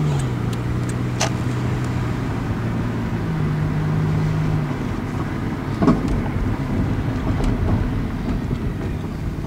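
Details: 1999 Toyota Corolla 1.8 on a test drive after the power steering pump pulley fix: a smooth, even engine note while driving and at the stop, where knocking used to appear; normal running, repair successful.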